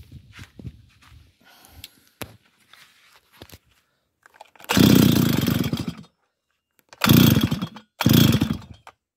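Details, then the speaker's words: Small two-stroke engine after adjustment, running a plug from another machine: catches and revs hard about a second then dies, three times; once hot it won't restart, owner suspects wrong heat-range spark plug. "Olyan baja van, hogy valószínűleg nem megfelelő hőértékű a gyertya, és hogyha nagyon meleg a motor, akkor utána már nem indul be."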